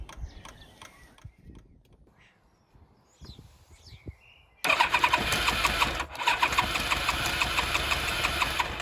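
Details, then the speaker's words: Yamaha FZR1000, about 25 years old, first start in six years after cleaning and reinstalling the carbs, started cold with the choke forgotten: several seconds of faint uneven cranking and sputters, then it catches with a sudden roar; hard cold start without choke. "excited in fact that i'd forgotten to give it a little choke well didn't go bang though"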